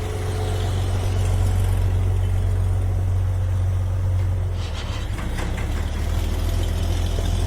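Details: 125 grinder mixer running smoothly with hardly any vibration; steady low drone, no rattle or hammering knock as before.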